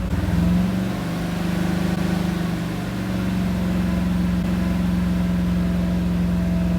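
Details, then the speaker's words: Freshly assembled small-block V8 with Comp Cams XE268 in 1985 Chevy C10, first start cam break-in at about 2000–2500 rpm, thermostat open, water temp steady 180, good oil pressure: smooth lumpy cam note, no knocks or misses. "Oh, well, that sounds pretty good. I wish I could hear it just like idling, but you can't."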